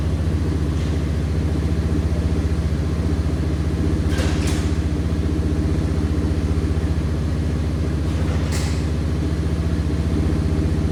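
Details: 1989 Yamaha Moto4 200cc quad after new timing chain, refitted with old carburetor and old throttle cable: steady even single-cylinder beat about four pulses a second, no knocks or misses; runs fine.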